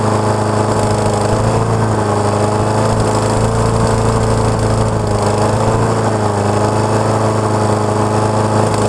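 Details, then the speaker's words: Honda HRX217 lawn mower, about 6.5 hp, that starts then dies, after auto-choke work: single-cylinder drone holding steady with slight speed wavering; running kind of okay, will still be checked. "so it's running kind of okay I'll uh definitely look at it still just to to make sure"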